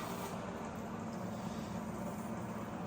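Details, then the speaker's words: LG inverter microwave that clicked and didn't heat, after swapping in magnetron from old microwave, 30-second heating run; steady low hum and soft buzz, no clicking or cutting out. "It's working. It's working. Earlier it used to do clicking noise, no heating, but now okay, 30 seconds around there."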